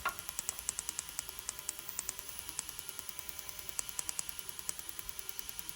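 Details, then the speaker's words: Mazda MX5 NC with LS1 V8, Link ECU ignition test firing cylinder two's coil while chasing a misfire: sharp snapping sparks about twice a second, unevenly spaced; the plug is poor and keeps arcing to the body. "say actually that the plug isn't that great and keeps trying to fire off the body in places"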